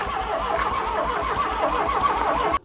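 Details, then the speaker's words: 1984 Dodge Daytona Turbo Z, long-sitting car, first start attempt: starter cranks in a steady, even rhythm for over two seconds, engine never catches; crank no start, no fuel delivery, with a loose fuel rail and old gas smell. "Let's see if we can't get some fuel in there real quick."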